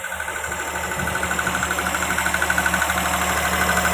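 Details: Perodua Kancil 660 carburetted engine idling cold just after replacing broken, rotted auto-choke water hoses that caused overheating and coolant loss; steady even pulse about three beats a second, faint high whistle, runs smoothly before a cooling-system and temperature test.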